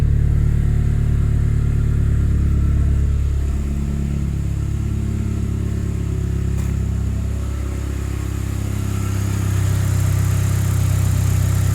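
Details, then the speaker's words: Saab 9-3 Aero, after ATF cylinder soak and steam cleaning, injector reconnected: deep, steady four-cylinder idle with even beat, all cylinders firing; compression apparently restored, slight black smoke from running rich. "that's interesting now it sounds like as a compression all four alright let me try connecting back that injector it's hard to get back in there there you go oh okay that was running all four what the heck"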